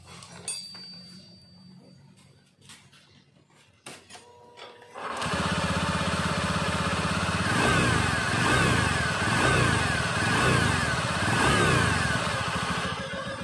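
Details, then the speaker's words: 2019 Honda Scoopy scooter: steady high whine over idle that remains with the front CVT pulley removed, so the fault is in the engine, worn crankshaft bearings, not the CVT bearing; planned fix is replacing crankshaft bearings. "di sini dia bunyinya masih tetap berarti itu klik masalahnya di area permesinan Jadi bukan di area CVC"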